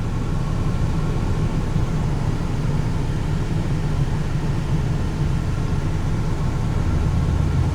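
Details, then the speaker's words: 1995 Toyota T100 six-cylinder, almost 300,000 miles, after alternator replacement: low, steady engine rumble rising slowly with throttle, no squeal, knock or stumble; engine sounds healthy. "I'm slowly walking it up to speed. All right, I'd say it appears okay."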